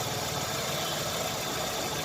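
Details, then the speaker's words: Chevrolet Optra idling with an uneven, stumbling beat and dropped pulses; coil output tested weak on cylinders 2 and 3 (1 fine), causing misfire, jerky running and long cranking before starting. "ये कम काम कर रहा है, जितना करना चाहिए उतना काम नहीं कर रहा है। ये बोल्ट करंट बहुत कम है, कॉइल से करंट कम है।"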